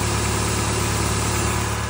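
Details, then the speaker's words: 2007 Honda Accord 4-cylinder (2004-2007 type), idling with the wheel turned: a steady low drone from the power steering pump, with bubbles in the reservoir, as air enters past a bad O-ring on the low-pressure hose; before the O-ring replacement. "turn the wheel you hear that that's your o-ring that is bad so if your car is making that noise most likely your o ring is bad"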